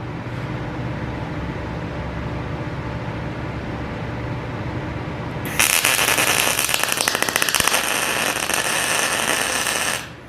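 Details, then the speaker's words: PrimeWeld MIG160Ts MIG welding at about 20 volts and 350 inches per minute wire speed: crackly uneven arc with popping sputter instead of smooth fry; settings too low, turned up until sounding better. "Okay, I don't like that sputter, so we're going to crank it up some more."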